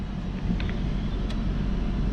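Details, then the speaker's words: 2003 Saab 9-5 2.3 L petrol, just after a fuel filter replacement: very slow start, then a low, even rumble holding steady without misses or stumbles; idling good. "it's idling good besides in a bit it was very slow started there you go running"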